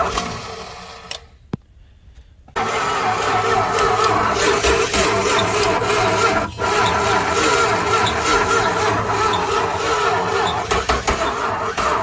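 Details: 1968 Dodge Charger that sat in a barn for 40 years, with fluid worked into the intake: the starter cranks steadily at about three beats a second for ten seconds, and the engine turns over but never fires.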